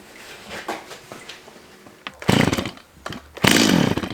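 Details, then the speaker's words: Old chainsaw being restored: sputters with weak, uneven bursts and short revs that die back; bogging and lacking power, possibly out of carburetor adjustment or a worn part. "you can clearly hear that this saw is just not getting it now there are a few reasons for this it could just be that the saw is out of adjustment"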